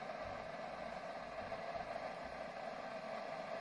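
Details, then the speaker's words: Cooling fan at the back of a V2L adapter powering a house from a Tesla during a simulated 22-hour blackout, at about 2–2.8 kW load: steady airy whoosh with a faint midrange hum, not quiet but even; normal fan running under load. "aber der Lüfter hinten, den könnt ihr auch jetzt hören."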